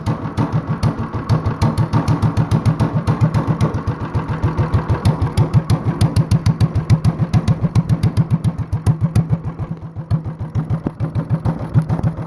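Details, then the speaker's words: Mostly stock Honda clone engine with a stage-one style kit, header, cam work and a 10 lb cast-iron flywheel on the crankshaft. Idled down very low, it gives slow, even, heavy thumps like a hit-and-miss engine and runs steadily. "sounds like a hit and miss engine now this is how boys and girls this is how you build a hit and miss engine at home with a Honda clone"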